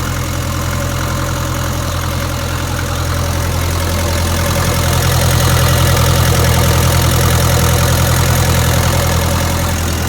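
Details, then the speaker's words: 1962 Land Rover Series 2A 2.25L diesel after timing check and valve clearances properly set; steady even clatter at idle with regular beat and no stumbles, much smoother than before, though truck still has low power, cause unknown. "now let's start it up with the valves actually set this time [Music] a lot smoother isn't it"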